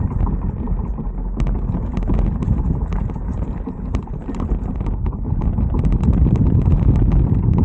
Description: ebike front wheel hub weird noise when there is no torque or power needed. weird ticking noise when I let go of the throttle.